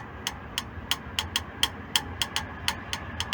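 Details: VW Transporter T3 engine after two-week standstill and coolant leak: sharp, light, even ticks about three or four a second over low rumble; hydraulic lifters suspected, not confirmed.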